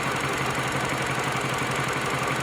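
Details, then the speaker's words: Mini Cooper idle shaking with uneven, lumpy beat and dropped pulses; pending misfire codes cylinders 2 and 4, misfire jumped; injector waveform shows it working but still misfiring, cylinder 4 injector opening more; injector replacement planned. Faulty injector misfire. "So this tells me that the injector is working, but it's still misfiring. You can see it's still misfiring."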